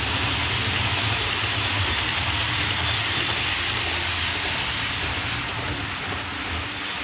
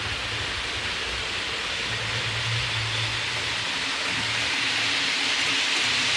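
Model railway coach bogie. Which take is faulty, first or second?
first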